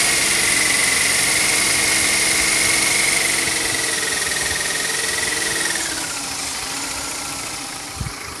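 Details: BMW E46 318i at idle, water pump, all pulleys, belts and DISA valve already replaced: a steady high whistle or whine that dips in pitch and fades; source unknown, mechanic suggests a slack timing chain.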